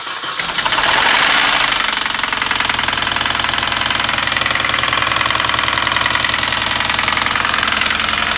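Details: Mini Cooper S R53 engine catching and settling into idle with a loud, fast, even knock about three or four per second, persisting after replacing timing chain tensioner and timing kit; cause unknown.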